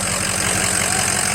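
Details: Ford 6.0 diesel idling while warming up after the turbo, oil cooler, dummy plugs and EGR delete were fitted: an even diesel clatter with a steady idle and no misses or knocks. Normal running.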